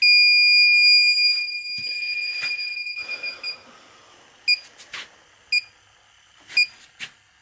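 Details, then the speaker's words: Inficon D-TEK Select detector sniffing the coil of an older R-410A air conditioner at 73 PSI. A continuous high-pitched alarm tone, then sharp chirps about once a second as it picks up the refrigerant leak at the coil; a new coil will be quoted. "Oh. Oh, listen to that. 73 PSI."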